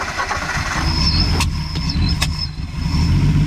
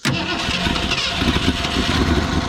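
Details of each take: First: Old V8 carbureted rig on a first start after sitting: catches, then runs lumpy and uneven, stumbling at low revs and smoking heavily; timing suspected too far advanced, not confirmed. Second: Ford Fairlane 260 V8, first start since current ownership, fuel in the carburetor: quick catch on the first crank with a little gas, then a steady, even idle with no misses or knocks and a little smoke; normal idle.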